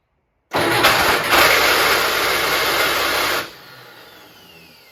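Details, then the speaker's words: 1967 VW Bus: harsh, gritty whirr for about three seconds as the starter spins without the engine catching, then cuts off; starter pinion teeth found badly worn, flywheel fine, new starter ordered. "Sounds bad! Unbolting top part of starter Whoa! Look at the teeth! That's very bad!"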